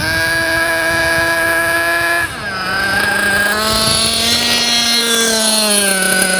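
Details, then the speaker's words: JQ Products THERTR nitro RC car engine during break-in, after two tanks of idling: buzzes at a high, fast idle, then drops to a lower, steadier idle as the idle is set lower. "okay so now the car's been idling for two fuel tanks and the first thing we do is we set the idle so as you can hear the idle's a bit high now so I'm going to lower"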